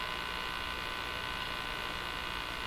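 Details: Crosley 43FB farm radio during shortwave-band trimmer alignment: a steady, even buzz sits over the radio hiss while tuning. The buzz is real, but its source isn't pinned down.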